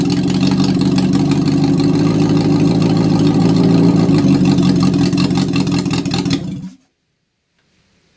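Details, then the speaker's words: Reliant Fox engine, unrun for years, running on the garage floor with cylinder 4 compression at 150. A steady, even, fast regular beat for several seconds, then a clean shutoff: normal, healthy running. "so there you go it's a small leap for this man but it's a massive leap for the project Fox we have an engine the engine works it sounds fantastic"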